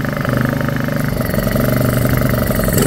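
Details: Honda EU2000i generator after carburetor cleaning and maintenance fixing surging and choke-only running: small engine holds a steady pulsing drone without hunting or surging, running evenly off choke.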